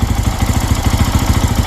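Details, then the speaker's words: New Lifan KPX 250, 249cc EFI single-cylinder, in neutral at first start: steady even thump, no misses or knocks, a quiet healthy idle while warming up. "nice and quiet too sounds pretty good let it warm all the way up and then shut it off"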